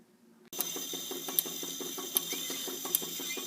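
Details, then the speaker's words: 1930s record changer/turntable being serviced: light gear whir with ratchet clicks about three times a second running on without pause; the automatic mechanism doesn't seem to shut off at the end of the cycle, no stop found, cause unknown. "sounds like a traction engine because it's going on and on and on i don't know why i guess that's under how you doesn't seem to be any stop button very strange"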